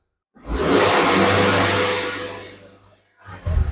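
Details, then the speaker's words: Proton Exora Turbo/CFE, about 12 years old, after replacing a cracked, leaking rubber part. Revs rise quickly and cleanly, hold, then fall smoothly; pedal response is quicker than before, when there was slight delay. Normal revving. "Oh abang dapat rasa respon dia agak laju sikitlah. Bukan laju macam respon pedal sangat cepatlah guys. Sebelum ni macam ada delay sikit ah."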